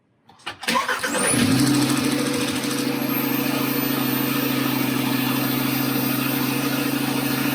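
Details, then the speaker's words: 2012 VW Beetle after engine swap (original had slack timing chain, metal in oil), new Bosch plugs: brief crank, catches immediately, steady even idle, no misses or knocks; starts easily, normal start and idle. "Everything seems to be running just fine. It's nice and smooth. Starts really easy."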